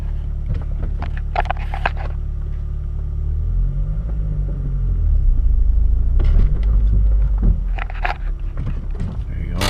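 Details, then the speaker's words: Stock 2013 Mazdaspeed 3 2.3L turbo engine idling warm before removal: low steady rumble with a faint whir on top; owner suspects the water pump, due for replacement, cause unconfirmed; whirring noise. "You can hear it. I think it's the water pump worring away."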